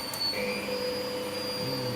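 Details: Candy GVS169D3/1-80 Grand O Vita 9 kg washer after replacing the failed motor-control triac (error E09), 1200 spin selected: steady motor whine stepping smoothly up in pitch as the drum speeds up; normal spin speed increase.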